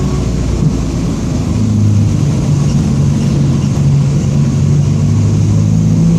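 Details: 2007 Marcopolo Torino city bus on Mercedes-Benz OF-1722M diesel chassis, Grande Londrina fleet 3311, driving; steady low droning growl under the engine at even pitch with road speed, a growling rear differential.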